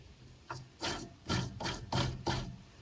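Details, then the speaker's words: Craftsman riding mower with loud hydro transmission and broken transmission fan, pulley turned by hand (the one with the new belt is quiet): short, rough, dry rasping scrapes about two a second. Suspected worn, gritty pulley bearing; grinding when turned by hand. "this one get this build out of the way that don't sound too good"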